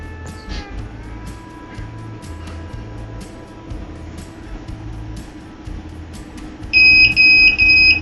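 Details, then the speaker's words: Hikvision DVR on a 12 V 1.5 A supply, powered on with no display connected. The hard disk tries to spin but doesn't run. A shrill buzzer pulses in short even beeps over faint music: the alarm for no hard disk detected. The technician suspects the power supply, which also makes noise. "දැන් ඔයාලට ඇහෙනවද මේකේ බසර් එක වැදිනවා ඒ කියන්නේ hard එක install වෙලා නැහැ කියලා"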